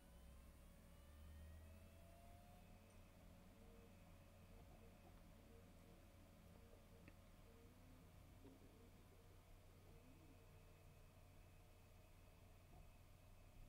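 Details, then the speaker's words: WD Red NAS hard drive spinning up from cold boot; a faint, even low hum and soft whir with no clicks or grinding. Very quiet, healthy drive. "let's try listen again very very low noise indeed"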